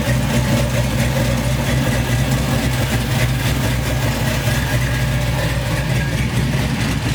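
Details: Chevy C10 V8 after new wiring harness, injectors and MAP sensor: low idle that starts fine, then turns uneven after a few seconds, O2 sensors reading wrong; vacuum leak making the idle act up.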